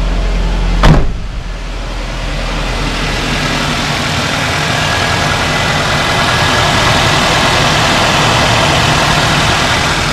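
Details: Cold morning start of a 2007 Nissan X-Trail at nearly 300,000 km after head gasket replacement: it catches at once and settles into an even, smooth idle with no knocks, misses or whine. No creamy oil, water loss or black smoke; sounds healthy.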